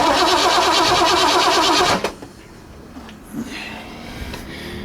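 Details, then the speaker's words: 1960 Ford F100 with transplanted 351 Windsor, not run in decades, starter jumped directly: even quick cranking whir for two seconds with no binding; engine not seized, solenoid appears good. "Looks like the solenoid's good. Motor's churning over good."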